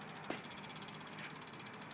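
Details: New BMX rear wheel (G-Sport Roll Cage rim, Eclat Dynamic switch-drive hub, Odyssey spokes), replacing an old hub that came apart inside, coasting: fast, crisp, evenly spaced, fairly loud but steady clicks of a healthy freewheel hub ratchet.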